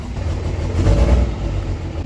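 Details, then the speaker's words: Diesel truck with ABS and check engine lights on, first start after purchase: deep idle with a lumpy, uneven throb; owner suspects injectors, not yet confirmed, codes and rail pressures still to check. "here she runs a little rough I'm pretty sure we need injectors"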